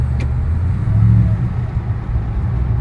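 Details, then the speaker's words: Dodge Dakota pickup with 426 Whipple-supercharged Hemi, on a road test coasting in neutral: only low road and tyre rumble, no rising or falling gear whine, so the rear differential is quiet. "no gear [Music] noise so not that exciting as far as Road testing goes for you guys but that's what we got to do"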